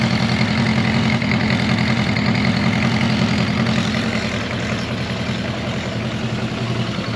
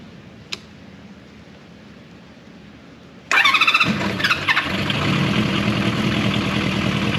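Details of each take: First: Honda CB400F with K&N pod filters, after raising the idle adjuster: even, steady idle with a low rhythmic throb and audible intake hiss, cleaner than before. Normal idle. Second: Honda CB400F after fitting K&N pod filters: starter whirs, the engine catches, then settles into a slow, uneven idle that barely holds. Idle speed set too low.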